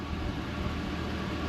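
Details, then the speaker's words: 1999 Chevrolet Silverado idling right after fuel filter replacement: low, even rumble at steady speed with no miss or surge; no fuel leaking, runs smooth. "and there's not and it's running smooth so perfect"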